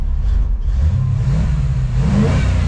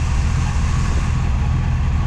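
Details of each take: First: 1954 Chevy Cabover (COE) small-block Chevy V8 on a test drive after its own carburetor was reinstalled. The deep V8 note climbs smoothly with throttle and settles evenly, with no stumble or popping; normal running, idle perhaps slightly low. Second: 1954 Chevy Cabover with small-block V8 and 700R4, warm engine, Holley Demon carb swapped in from a 1954 Chevy Handyman wagon, spacer removed; deep steady idle with slight unevenness, fresh carb likely needs idle adjustment, cause not confirmed.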